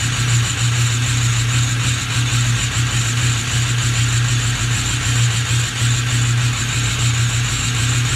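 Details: Ford 6.0 Powerstroke diesel cold start: heavy deep clatter with an uneven, lumpy pulse and plenty of smoke; rough idle, engine missing, no check-engine light but an ABS light on; cause not confirmed.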